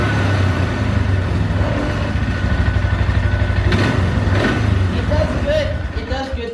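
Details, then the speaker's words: 2012 Polaris Sportsman 400 HO carbureted ATV: starts and idles fine, but on certain throttle responses, especially letting off, revs surge unevenly then sag and die; suspected gummed-up carburetor; cracked intake-to-carb boot also found. "but certain throttle responses it'll just kind of cut out and die so like"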